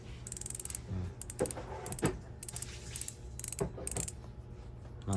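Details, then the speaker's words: Road bike rear hub spun by hand: light, quiet ratchet ticking in short spins, soft and even with no grinding; the normal, quiet freehub sound preferred over loud hubs. "pang road bike yan. So ang ganda ng tunog. Yung gusto ko sa hub, yung mga ganito lang ang tunog."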